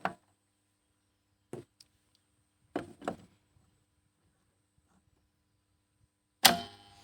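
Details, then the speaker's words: Three-phase motor starter after a homemade fix for loud contactor noise, fuse refitted and contacts checked: sharp clacks as it pulls in and drops out, no hum or chatter between; contactor now quiet. "पहा मित्रांनो शेतकरी मित्रांनो बघू शकता आवाज एकदम zero म्हणजेच पूर्णपणे बंद आवाज झालेला आहे"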